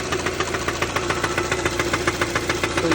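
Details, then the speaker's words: 2016 Kia Soul+ at 161k at idle: steady hard knock about three and a half per second, seemingly from low down; sometimes shifts rhythm; bottom-end knock, source unknown. "can hear the knocking sound and it sounds like it's coming from down there which I think is the uh end of the FR straft down there"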